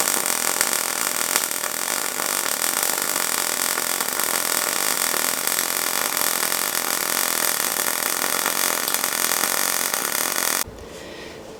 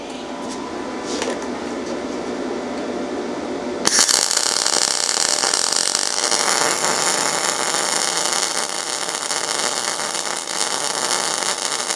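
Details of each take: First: Yeswelder MIG-205DS MIG welding steel coupons with shielding gas: dense, even bacon-fry sizzling crackle for about ten seconds, no pops or buzzing, then stops; correct MIG arc. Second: Yeswelder MIG-205DS MIG welding steel with no shielding gas: harsh, hissing, uneven ragged sputter instead of bacon-fry crackle; weld looks like styrofoam with porosity, a really weak weld.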